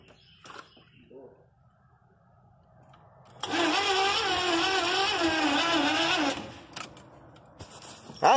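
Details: 1983 Chevy van, first start attempt after putting gas in the carburetor: starter whirs with a wavering pitch for about three seconds, no firing pulses; cranks but won't start, cause not confirmed.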